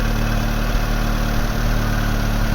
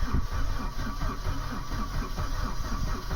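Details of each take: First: Vauxhall Astra Mk3 1.6 LS saloon petrol, first start after sitting unused about 12 years: steady even low idle with no knocks, misses or hunting; normal idle. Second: Mk3 Vauxhall Astra 1.6 LS saloon not started since 2009, started with a screwdriver: steady rhythmic cranking that never catches. Owner suspects a lack of fuel. Cranking, no start.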